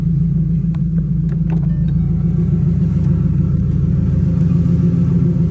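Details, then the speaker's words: 2010 Mustang GT 3V with ON3 turbo kit, idling down after running to cycle oil through the turbo: a deep, steady V8 burble with even pulses and no stumbles or ticking. Healthy idle. "Oil should have cycled out of that turbo nice. Always let it run for a bit, idle down for a bit so your oil don't pool in there."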